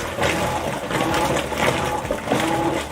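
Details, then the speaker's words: Whirlpool washer: soft sloshing and churning in slow, uneven pulses under a light motor hum, no grinding or banging; means the washer is working correctly. "it means that the washer is working correctly"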